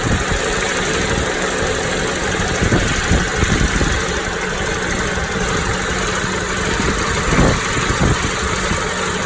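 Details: Toyota Noah 60-series engine at idle; loose rattling clatter, not ticking, from middle of engine, not alternator side, louder inside cabin, with wind noise; unchanged after flushing, OH+ and Wako's S-FV additives. Source unknown.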